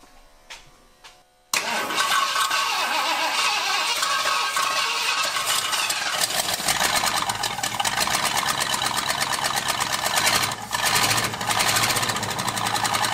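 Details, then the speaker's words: 1978 Ford F150 Ranger Explorer V8, bought flooded (water drained from engine), first start: loud, rough, stumbling idle, missing cylinder two; a spark plug wire was found missing on cylinder eight; timing, plugs and valves suspected poor. "do you think we have a gallon yet we're straight up missing cylinder two"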